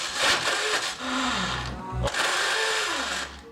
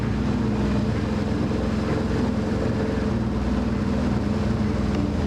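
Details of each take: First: 2004 BMW R1150RT with 34,000 miles: starter whirs up, briefly catches, then spins free with a rising whine in short bursts. The starter bendix engages then disengages and won't stay in mesh. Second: 2004 BMW R1150RT, 34,000 miles, started after a new main battery: engine runs smooth and even with a steady low drone, no knocks or misses; normal running.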